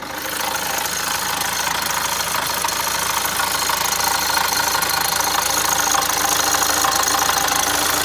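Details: Opel Zafira Tourer 1.6 CDTI diesel at start-up: steady fast metallic rattling, about three per second, over the idle; began occasionally two months ago, now on every start for two weeks; owner suspects timing chain, unconfirmed.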